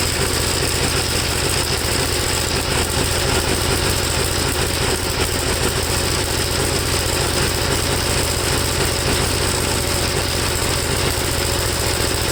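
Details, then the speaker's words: 1954 Gravely single-cylinder tractor, second cleaned carburetor, no choke, engine hot: steady but coarse, labouring, uneven beat; black spark plug suggests fuel fouling, owner suspects too-rich mixture regardless of adjustment. "the plug is pretty black it looks more like it's a fuel foul than anything i don't know to me it's just running too rich no matter what i do"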